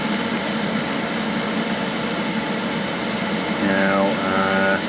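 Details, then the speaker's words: JP Heaters 2kW Chinese diesel air heater in a bus, winter: after switch-off the fuel pump stops and the fan keeps blowing air with no burner roar or pump ticking, a steady whoosh through its normal shutdown cool-down cycle. "what happened is it stopped pumping fuel and uh now as the heater unit sort of displays going off as the heater unit cools down it will stop blowing air through it but it will continue to blow air through and go through its shut down cycle"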